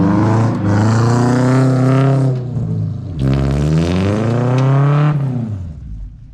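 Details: Lowered 1987 Toyota pickup SR5 accelerating with its newly installed exhaust and headers: deep, smooth drone climbing through two pulls and easing off, no rattles or popping; healthy.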